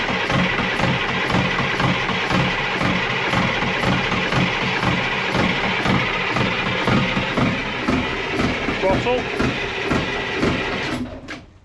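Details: Detroit Diesel marine engine on a boat during yearly service, started after long cranking to prime fuel: steady even diesel rumble, regular pulse, no knocks or misses, 69 PSI oil pressure; normal idle.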